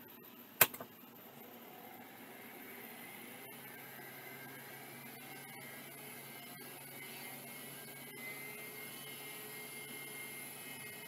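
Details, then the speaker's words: Vintage Mitsubishi hard drive labelled bad: faint steady high spinning whine with light seek ticks, no scraping; seems to work and returned heads to park at power-off. "well that seems okay yeah it even returned to park when I turned it off wow okay that one seems like it's working"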